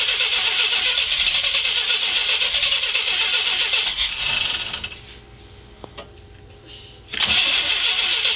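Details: Engine cranks steadily at about four turns a second but never fires; it runs briefly on starter fluid, so spark is present, and it still won't start after fuel filter and fuel pump replacement and added Heet; fuel delivery is suspected but unconfirmed.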